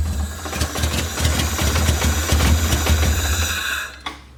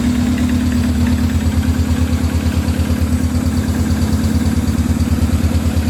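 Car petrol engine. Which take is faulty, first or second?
first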